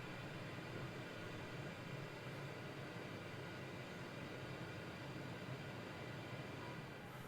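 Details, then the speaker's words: Walk-behind floor scrubber during preventive maintenance, machine filled with water: squeegee lowered, which switches on the vacuum motor (should shut off about 10 seconds after raising). Smooth, constant whirring hiss, no grinding or rattle; vacuum motor running normally. "Last is the squeegee. That lowers it, turns the vac motor on. When I raise, that should shut off in about 10 seconds."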